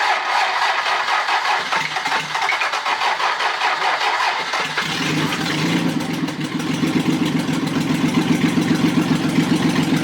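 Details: Rebuilt Toyota 7M-GE, valve seats dremeled, running on a furniture dolly out of the car from a test board: cranks, fires and settles into a lumpy, loping idle; one cylinder dead from leaking exhaust valves.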